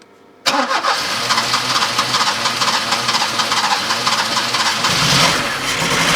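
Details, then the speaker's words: 1984 Opel Ascona 1.6S misfiring after a rotor and cap change; uneven, lumpy idle with a stumbling beat. One spark plug is still not firing, and the new parts did not help. "different I'm surprised that actually did not help one bit there is still a spark plug not firing"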